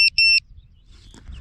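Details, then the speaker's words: Self-powered lost-model buzzer on an ImpulseRC Alien 5-inch FPV quad, sounding its post-crash alarm after a 30-second mode: two loud shrill beeps of over 100 dB, the second longer, then quiet handling noise. "when I then crash when it notices something hard it goes into a thirty-second mode where it beeps and after thirty seconds it sounds like this"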